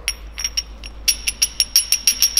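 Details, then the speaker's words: BMW S54B32 VANOS rebuild, oil pump disc holes drilled 9.7 mm for 0.1 mm gear clearance versus about 1 mm original: sharp metallic clicks about five per second from gear backlash on the original play. "we we have aimed for 0.1 millimeter of clearance between the gears of the hoop of the exhaust hub and the host which we have done and hopefully you guys can hear that we have almost none swag"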